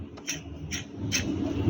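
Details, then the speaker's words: Proton Saga BLM water pump removed after 4 years of use, spun by hand: gritty rasping rumble with scraping bursts from a worn bearing, no coolant leak, impeller still good. "Ha kuat kan bunyi dia kan? Bunyi bearing dia tu dah berbunyi."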